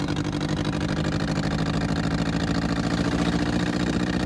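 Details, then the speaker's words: Abandoned 1964 Volkswagen dune buggy, twin-carburetor flat-four, driving off-road under load: lumpy uneven pull not firing on all four cylinders, fourth cylinder cutting in and out briefly; misfire, cause unclear, started backfiring badly a couple of years ago. "Is that 4 cylinders? No, No? that doesn't sound like it."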